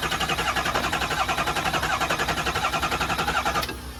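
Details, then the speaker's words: Truck restarted after its oil was poured out, cranked to build oil pressure: rhythmic starter cranking about four beats a second for several seconds, never catching. "Now, crank it. Crank it to a build pressure. It won't fire."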